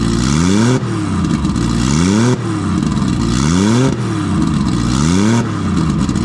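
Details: Nissan RB20 inline-six after fixing no compression in cylinder 5 caused by a faulty lifter holding the intake valve low; loud open exhaust blips up and falls back repeatedly, each rise clean and even, no misfire; all six cylinders.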